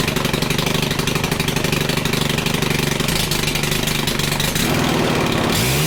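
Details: Stihl FC 110 after fixing little-to-no compression, with freshly adjusted valves and oil in the cylinder that might foul the plug, held at full throttle: strong even buzz, no misses or stumbles, winds down at shutoff; compression much better now.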